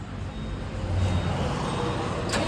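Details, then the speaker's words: Tata 4825 lorry carrying a salt load starts and settles into an even diesel idle with no grinding or misses. This follows the mechanic refitting the self (starter) motor and reconnecting the battery; electrical connections checked OK. "మొత్తానికి బండి పని అంతా complete అయిపోయింది. బండి కూడా మనది start అయిపోయింది."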